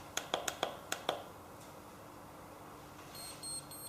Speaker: again we hear the beeps initially telling me that we have made contact and we're ready to begin